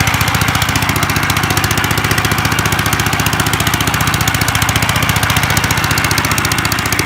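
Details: 1955 Gravely Model L single-cylinder, sat about five years, points cleaned, started in two pulls, mid throttle, neutral: loud fast sharp popping, fairly even but crackly, open broken-off exhaust, slightly rich on part choke; owner suspects carb needs cleaning or needle opening.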